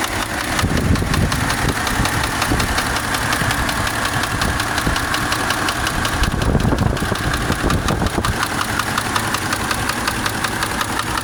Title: Subaru Engine knock Should I buy an Engine or Repair